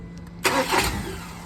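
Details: Ford Ranger/Everest 2.2 cranking: a short burst of cranking that dies back to a faint hum without catching; engine turns over but will not start.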